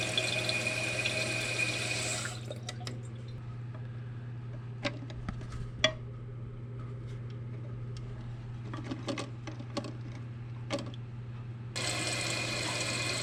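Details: Newly installed Fluidmaster 400A toilet fill valve, replacing a loud, water-spitting one, refilling after a water-level adjustment: a steady low hum with quiet water hiss and a few small splashes, no spitting or screech. Quiet, normal refill.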